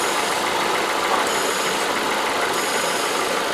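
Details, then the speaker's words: Ford Escape with P0455 EVAP large leak/no flow, new purge solenoid commanded 100% open at idle: steady airy hiss over quiet engine as working purge valve draws vacuum, engine running lean. "like I said we open this 100% it should be hissing and here just open right now"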